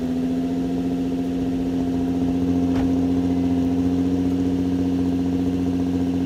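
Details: Nissan 350Z after replacing broken test pipes with the OEM catalytic converters, back on the ground: smooth, even idle with a steady low drone and no ticking, rattling or exhaust-leak puffing; healthy.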